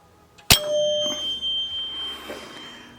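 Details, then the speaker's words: 1976 Bally Flip Flop pinball after cleaning and reassembly: one sharp bell strike rings and fades over about two seconds; the 100-point relay is hanging up, suspected from a 100-point playfield switch fouled by old rubbers. "uh yep got a 100 point relay 100 point switch probably on the playing field from all these uh nasty rubbers all these used rubbers"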